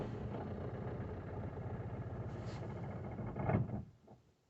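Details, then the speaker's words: 2018 Citroen Berlingo 1.6 BlueHDi diesel van, 35,000 miles, sat six months as a non-starter after a DPF fault, fuel pump code cleared: catches, runs unevenly a few seconds, then stalls; air still in the fuel system. "gotta start for a stall it's obviously gonna have some air in the system so it takes some time to clear it"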